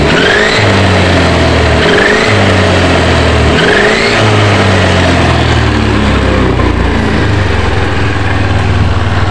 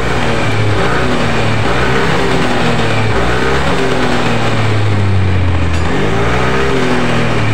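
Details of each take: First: Yamaha NMAX scooter test-run: rising high whine ("nguing") from the rear climbs with each throttle blip; on teardown the gearbox gears were found worn, fix is replacing the gearbox gear set. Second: Yamaha NMAX with worn final-drive gears, after reassembling CVT, gearbox, exhaust and rear wheel: revs up and settles smoothly with only engine and belt drone, no more rear gear whine.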